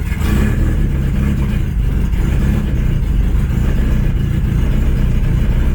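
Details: Low-compression 1997 Honda B20 from an automatic CR-V, swapped with turbo parts, running rich at low idle: deep, lumpy idle with a steady low rattly buzz, possibly something loose; old oil burning off the exhaust. Rattle at idle.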